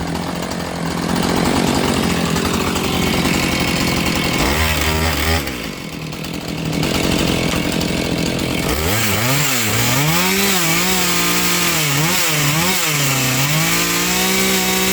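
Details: Chainsaw with chain set about 60 thou gap between bar and links: even idle, then throttle opens and pitch climbs quickly to a high, clean scream; healthy rev-up.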